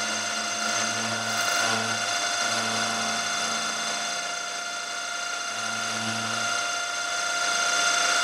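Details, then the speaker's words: 6mm tungsten carbide end mill cutting steel at 1000 rpm, climb milling, workpiece possibly held too far out of the vice: steady high-pitched ringing over the cutting hiss, rising and falling with load; end mill chatter. "you can hear a bit of vibration it doesn't help that I'm climb milling and I've set the cutter speed at 1000rpm"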